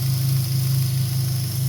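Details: 2003 Dodge Neon 2.0, after the dead MSD coil was replaced with the original coil. A low, steady idle with an even pulse and no stumbles or skips; all cylinders firing.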